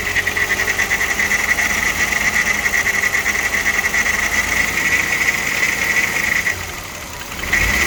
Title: VR6 AES Engine Sound (with timing chain rattle)